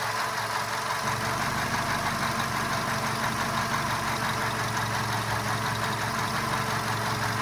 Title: Knocking sound from golf 5